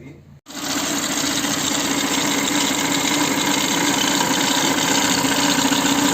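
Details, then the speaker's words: Citroën C4 timing belt area with the cover removed, phone microphone held near the recently replaced tensioner pulley: a harsh, rough whirring hiss over a steady mid tone at idle, from the faulty new tensioner pulley. "et comme vous pouvez le voir quand on l'a mis près du galet tendeur la partie micro ça écoute beaucoup plus et il y a un bruit très moche"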